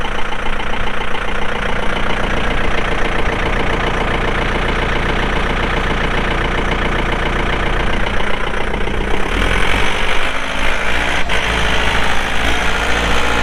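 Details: 2006 John Deere 4320 tractor, pre-emissions 48HP Yanmar diesel, 1,655 hours; steady, even clatter with deep, smooth beat and no misses or knocks; normal idle.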